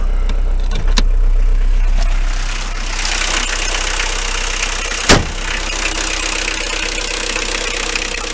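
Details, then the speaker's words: Renault 21 turbo diesel, 180,457 km: steady light clatter about four per second over engine note on acceleration, unchanged for 2 years/25,000 km, heard in cabin; rocker adjustment done, owner says not rod or bearing; cause not found. "Voilà, ce bruit-là, là. Je l'ai eu en accélérant il y a 2 ans."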